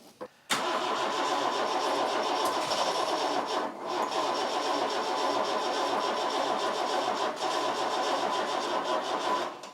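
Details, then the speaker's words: Vauxhall Chevette abandoned over 10 years, on a borrowed diesel Vectra battery that spins it faster: cranks, then bursts into ragged, uneven firing on starting fluid for several seconds before dying. It wanted to run; owner suspects he may have flooded it. "now the first little bit of spray and it pretty much wanted to jump off"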